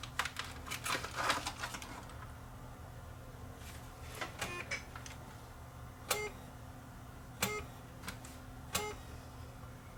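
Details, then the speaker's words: Panasonic DVD recorder bought cheap at a thrift store, run with the top off: irregular light ticks and clicks over a low hum as it keeps trying to focus, with a very dim red laser and no infrared. Weak laser pickup fails to read the disc. "i see the laser trying to come on there let's go to night shot see what it looks like under night shot the avengers trying to focus i see very dim laser light lighting up there"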